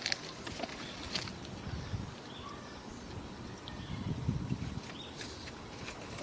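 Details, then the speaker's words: Sewer line inspected with a RIDGID SeeSnake camera near a bend by the stack while the kitchen sink runs; low gurgling surges and air push past a back-pitched section, possibly clogged with grease. Partly clogged sewer line, grease buildup suspected. "So I got a feeling it's right here somewhere, just like clogged up. because that looked like grease there."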